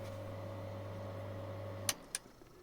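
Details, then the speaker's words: In-line bathroom/kitchen extractor ventilator, hung in flexible tubing with foam and tie wraps so it has no hard contact with the wooden floor or tubing: steady low even hum with no rattling contact noise, then a clean cut-off; quiet normal running. "now you hear only the ventilator and not rrrrrrrrrr etc."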